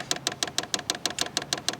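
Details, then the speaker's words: Vevor diesel heater in a van: the dosing fuel pump is mid-prime, about 220 of 300 seconds left after a long press of the button. It ticks crisply and evenly about six times a second, a healthy pump with no loose wiring suspected. "But that's a good sound. I was worried that I've heard horror stories that when these arrive, a lot of times the wires are loose. Man, that's a good sound."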